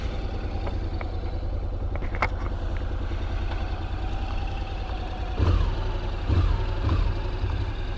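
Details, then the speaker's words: 2021 Honda NC750X DCT before the recall ECU update, warmed up: low idle thump with uneven beats and a few sharp stumbles; lean fuel injection programming makes it stutter, less so when warm. "yeah it doesn't stutter as much when it's warmed up but it still does it"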